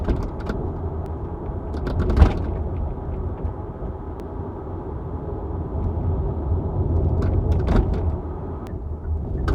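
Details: Hyundai Ioniq 5 driving over bumps, microphone in the trunk beside the hatch: loose, irregular rattling and sharp clacks over road rumble from the rear hatch, exaggerated on recording, subject of recalls and a TSB.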